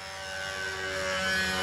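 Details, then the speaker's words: Control-line model engine in a B-25 with a 220 venturi: steady, high, even scream with no sputter or surging; mixture about right on the first needle setting. "there we go that's just about right even on the first needle setting"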